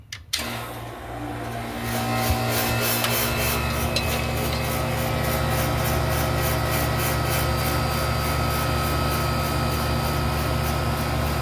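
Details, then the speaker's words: Seized GE AC condenser fan motor, bushing missing and broken pieces, oiled as a temporary patch before a new motor arrives; at startup a rough, raspy rubbing hum with faint rhythmic ticking that evens out; unusual startup noise. "never made that noise [Music] before"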